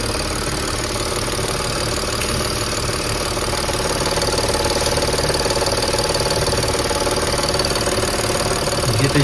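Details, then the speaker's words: Audi A8 D5 diesel idling with a knock: rhythmic pulsing tick about four per second traced by hand on the high-pressure fuel pump feed pipe; swapping the intake manifold/flap did not change it. "Я уже дошёл до того, что я берусь за подающую трубку на ТНВД. И вот звук пульсирующий именно с ТНВД. Как вот пульсирует ТНВД."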